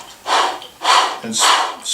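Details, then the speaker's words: Bosch Performance Line CX e-bike motor, opened up: bearing flicked round by hand gives repeated gritty, hissing rasps; bearings completely shot and rusted from water ingress, later replaced in full overhaul. "that you can hear that the bearings are completely shot"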